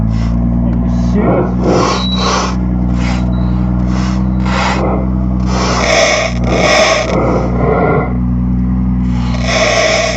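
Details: 2018 BMW M2, April 25, 2019, the second occurrence: harsh bursts of crackling and screeching come from the speakers in irregular spurts over a low hum; cause unclear.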